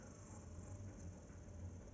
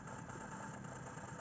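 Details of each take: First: Sony TC-560 tape deck DC motor on the bench on a 9V battery after removing crumbling speed-sensor magnet material and replacing a broken screw: faint smooth even whir, no grinding or scraping, really silent; normal running. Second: Sony TC-560 tape deck DC motor refitted after speed-sensor magnet material was removed: steady high-pitched hum, speed control has no effect, runs at full speed far above normal; damaged speed-sensing mechanism, motor overspeed.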